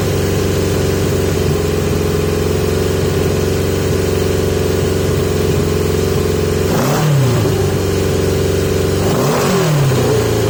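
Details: 1980 Yamaha XJ650 on pod filters: a steady fast idle surges and sags in pitch twice within a few seconds. The idle is unstable and hunting, and the owner is still chasing a revving issue, cause unconfirmed.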